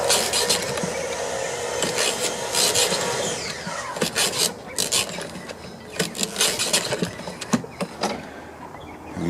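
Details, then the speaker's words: Husqvarna AWD lawn mower (ran rough, carb and deck clogged with thick mud), cranking recoil starter: rough, uneven dry scraping bursts, no firing; shaft not bent, pull-start wobbles, hitting caked-up debris and rubbing a bent tab. "t the shaft does not look bent so it's just hitting all this this caked up stuff up under here and and we'll need to take a look at this it's just wobbling back and forth"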